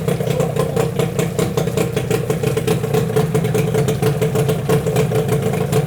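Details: Yamaha 8C two-stroke outboard from Japan with salt-clogged water intake, run on a hose after clearing the intake, gearcase removed: fast, even putter with steady crisp pulses, no misses or surging; motor stays cold, no overheating.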